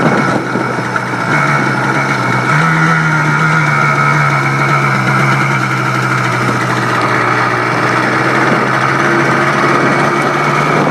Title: Blaster after rebuild